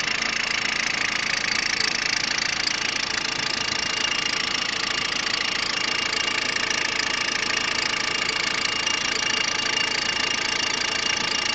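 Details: Peugeot 106 1.5 diesel (11/2002), 130,000 km, timing belt done at 73,000 km: at idle a regular, bright ticking clatter near three per second; engine noise, source not identified.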